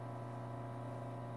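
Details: 1942 Zenith 7S682 radio-phono record player drive assembly, on the bench powered by variable supply at about 120 volts (spins from 40 V), soft sticky rubber with cracked idler wheel: smooth constant low hum with faint even hiss, no knocks; motor runs healthy.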